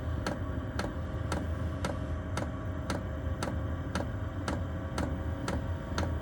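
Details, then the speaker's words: Chinese diesel heater with blue controller during startup: after the glow plug warms, the fuel pump fires in, giving sharp even ticks about twice a second over a low steady roar as fuel ignites; normal fuel pump ticking. "Right, now you can see this symbol's appeared here, and that's the pump fired in."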